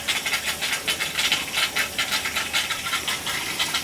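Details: Gas boiler hydronic heating loop with cast iron baseboard, after expansion tank and leak work: rapid pulsing hiss with light rattling, several surges a second, from the pipework; air trapped in the loop while purging.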